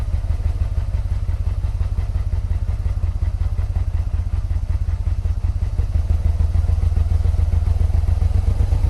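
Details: 1986 Yamaha Venture Royale 1300 four-carb bike with 86,000 km, first start after sitting 7 years, run off another battery on old fuel. Steady fast idle pulse with a dull knock underneath; owner blames 7-year-old oil, not confirmed.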